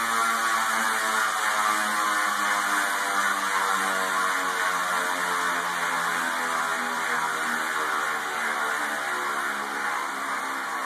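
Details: Telescope stand bearing: steady buzzing whir with an even ladder of tones drifting slowly lower, rougher than it should be; noisy bearing.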